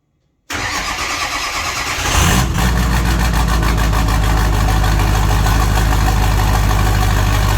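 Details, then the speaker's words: Ford 6.0 Powerstroke diesel, first start after fitting an S369SXE non-VGT turbo on stock fuel, intake off: brief crank, catches at once and settles into a steady, even idle with smooth low rumble and no knocks; much quieter than expected. "she's running and she's running good look at that boys so much quieter than I expected"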